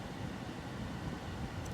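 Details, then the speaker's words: Car HVAC blower fan after replacing the blower motor resistor (used junkyard part; before, only max speed worked): steady even rush of air, low hum, no rattles or surges, all speeds now working including low; normal blower operation. "you can definitely hear it. There you go, see? And now all my speeds are working."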